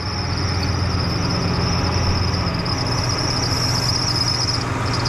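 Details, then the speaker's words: 2005 Ford F-150 XL Triton V8, lifted 4x2: steady high-pitched squeal over an even idle from a squeaky slipping serpentine belt, silenced by spraying glass cleaner on it. "yes glass cleaner will make a squeaky belt shut up"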